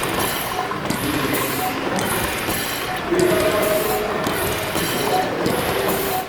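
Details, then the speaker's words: Over-a-century-old steam engine at Gaswerk Schlieren, main valve used to slow it so the first-cylinder inlet valves are seen reacting; governor counterweight pulled by hand to simulate regulation. Rhythmic steam hiss pulses about once a second, briefly dropping then returning as the governor cuts inlet steam. "so volters used the main valve to slow down the machine to a speed where we could neatly see the first cylinder Inlet valves reacting to the regulator again watch and listen as volters pulls on the counterweight of the regulator simulating it coming into action"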